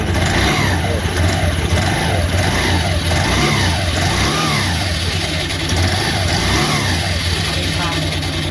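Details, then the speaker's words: Honda CVT scooter after replacing rollers and shimming the sliders, light throttle: revs rise and fall smoothly without the earlier clattering; only a faint clutch rustle remains, somewhat better. "sekarang udah diganti roller sama slidingnya udah diganjel sekarang alhamdulillah Agak mendingan"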